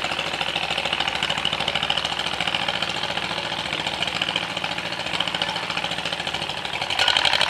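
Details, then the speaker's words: John Deere MC crawler after fuel system overhaul, new muffler, ignition rebuild and sanded points, moving under its own power: even, steady firing that pulls cleanly as load comes on, no misses or knocks; running properly. "And I am so happy this thing is up and running. It's moving under its own power. It's alive."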